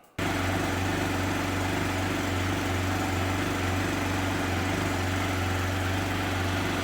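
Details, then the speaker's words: Can-Am Spyder RT started after the front was refitted, code P011C still stored: steady loud idle with a fast puffing tick on the exhaust note; exhaust leak at idle. "our remaining code p011 C we'll check that out see what that's all about sounds good minus the exhaust leak we'll get that taken care of"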